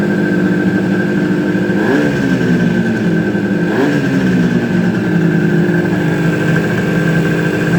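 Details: Suzuki GT250 two-stroke, first start after rebuild; steady idle with two quick clean throttle blips rising and dropping smoothly, no misfires or rattles; normal revving.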